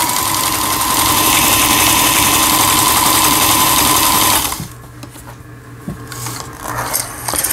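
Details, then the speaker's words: Elna 318 sewing machine (same as a Janome model), repaired after the whole machine had seized from a jammed upper cam-follower gearbox; running disassembled, internals only. Fast, even clatter of about 200 stitches a minute with a bright steady whir, then it stops. Triple zigzag and overlock work normally. "요거는 이제 삼중겹 지그재그라는 거고, 요 오버럭 스티치 각종 기능들 정상적으로 작동되고 있습니다."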